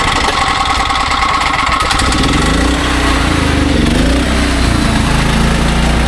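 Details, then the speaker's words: Restored SDMO 5000W generator with a Briggs & Stratton engine (about 18 hp), pull-started, low on fuel and sitting on an angle, under a 6 hp vacuum plus 1500 W heater (about 15–20 A expected): pitch sags briefly, then settles into an even, steady drone. Healthy. "They're getting a 5 kW unit that runs good, can handle some load, and yeah, that's the end of the video."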